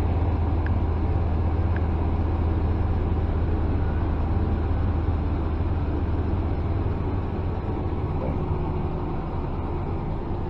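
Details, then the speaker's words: 2014 Dodge Ram with P0207 and P0300 stored, customer complaining of unstable running: low, uneven V8 idle with a soft stumble breaking the rhythm; cylinder seven misfiring while cylinder five appears fine. "Al parecer está fallando el número siete. El cilindro número siete, número cinco se encuentra pues en parecer en perfecto estado."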